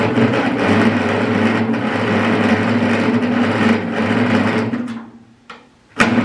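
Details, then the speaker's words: Ferguson 20 petrol/TVO tractor that sat in a shed about 10–15 years, cranked after cleaning connections with plug tester fitted: steady cranking, about three beats a second, no firing; no spark because distributor points stuck closed, possibly corrosion or burning. "so on Investigation it's pretty clear why we're getting no spark here so the points are sitting on top of the can there and we've got continuity so the points are not open"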